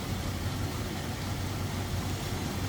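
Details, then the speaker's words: 1935 Pierce-Arrow Model 845 limousine, 385 cu in straight-eight with Stromberg carb, idling in the open engine bay: a smooth, even low hum with a soft exhaust rush and no tapping or missing. Remarkably quiet; perhaps slightly louder on the exhaust manifold side. "check this thing out isn't that crazy how quiet that is"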